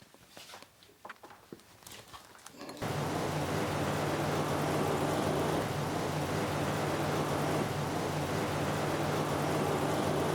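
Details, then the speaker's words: 1995 Jeep inline-six petrol engine idling, running rough; scope misfire detector on spark plug one and pressure transducer in tailpipe show occasional low-pressure pulses; low, slightly uneven drone from an occasional misfire at idle. "so I've started the vehicle I can feel it's not running right I've got everything set up so at this point I'm gonna go tell it I want to look for misfires and I can see here occasionally this one has a lot less pressure"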